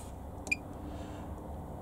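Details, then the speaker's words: Swift caravan command panel: one short high chirp in a quiet room when selecting vehicle battery, signalling no tow vehicle battery is connected. "if obviously hear that squeak that it's obviously says uh no there's no vehicle"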